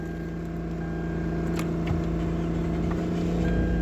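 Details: 2006 Lexus GS350 that had a no-start problem with no DTCs (relay/starter not working); after the fix it idles with a steady, even low hum and smooth pulse, no misses or knocks, a normal idle.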